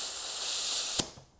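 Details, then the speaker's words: Air charging a SureShot 32oz pressure sprayer from a compressor set at about 100 PSI: a sharp, steady hiss for about a second, then it cuts off, as air leaks past a fitting not tightened all the way. "see, this one's leaking a little. Okay, I didn't have that tight all the way."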